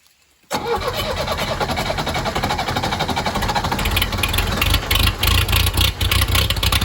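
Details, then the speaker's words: 1963 Case 310F bulldozer diesel, cold start with no starting fluid and no grid heater: catches almost instantly, a little smoke, then a steady, even idle with no misses or knocks; normal cold start and idle. "Little smokey. He's coming alive. What a treat. She runs good. Yeah, no smoke."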